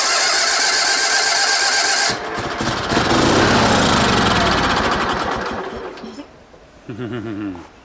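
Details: Sears Suburban SS16, 16 hp Onan twin, sat for years, in neutral with brake parts cleaner sprayed in: fast, even chugging of the starter at about four beats a second, dying away without catching; cranks but no start.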